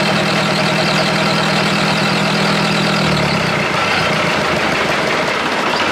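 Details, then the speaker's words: Perkins diesel in an old Australian-made Chamberlain R1250 tractor crane: lumpy, uneven idle that sags lower and slower, close to stalling; idle set way too low so engine turns off. "the idle set way too low it just turns off so if I wind that up that's why he's got all that those wires and things holding it de I'd say to keep it running"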